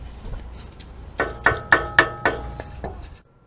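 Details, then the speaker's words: Nissan Pathfinder muffler heat shield after its loose clamp was replaced with a hose clamp; crisp metallic taps ring briefly and die away with no buzzing, so the idle rattle is fixed. "and again i'll replace it with a hose clamp and tap around for a vibration check and it is much better"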